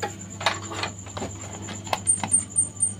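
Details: LG Turbo Swing 21-inch CRT TV, dead with no picture: faint repeating chirps about every quarter second from the switching transformer; power supply restarting because a shorted secondary-side path blocks the regulator.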